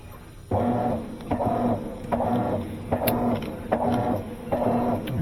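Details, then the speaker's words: Maytag top-load washer that agitates but won't spin: agitator surges back and forth about seventy-five strokes a minute with a humming, uneven drive note; stripped tub hub, not the transmission. "right it tastes just fine go back I can hear it shoot wow that tells me the tub hub it's the tub Hub messed up it's not the not the transmission"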